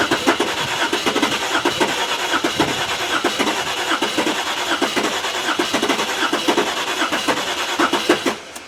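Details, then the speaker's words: Range Rover that cranks but won't start: quick even cranking for about eight seconds that nearly catches but never fires; owner suspects flooded, wet plugs and plans to bypass the ignition wiring. "i think the plugs have got wet it sounds like it because it's almost there you know there's no reason for it not to start"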